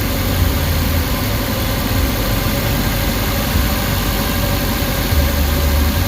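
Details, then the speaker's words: Suzuki Carry engine previously shaking and knocking at idle, about two minutes after adding an engine treatment: low, steady, even idle rumble with no knock or shake; runs smoothly. "so ayan medyo nawala na 'yung guys ah medyo smooth naung 'yung takbo ng makina."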